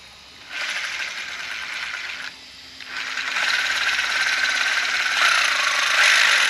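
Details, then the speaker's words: Rlaarlo AM-X12T(C) brushless RC buggy; harsh gritty rasp in bursts with each throttle push and no clean motor whine. The pinion gear was jammed tight against the motor mount, causing lower speed and high motor heat. "doesn't sound right does it I just I saw the um the motor they moved all the way out on the mount it just doesn't sound right so we're just going to take a quick look"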